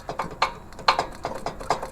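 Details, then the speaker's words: Troy-Bilt/MTD log splitter: uneven clacking knocks about four or five a second over a quiet run, not engine knock; worn, squeezed-out jaw coupling spider between engine and hydraulic pump. "and you can kind of hear it there. But that's the noise we're getting, and this is not uncommon for these."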